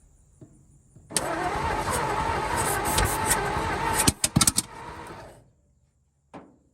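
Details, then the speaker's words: 1949 Ford truck, Thunderbird 312 V8, sat about 45 years, old coil: starter churns about three beats a second, a few weak pops, no start; owner suspects stuck valves or no spark from the points. "Probably some stuck valves. I guess the points weren't getting spark. Okay, something ain't right."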